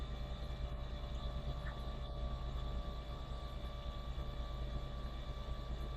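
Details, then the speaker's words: Triumph Stag V8 unrun for about 15 years, cranked with the spark plugs out to build oil pressure, reaching 30 psi: steady, even starter drone with the engine spinning freely and no knocks or scraping; normal cranking. "spark plugs as well so it should turn over at a fair old speed"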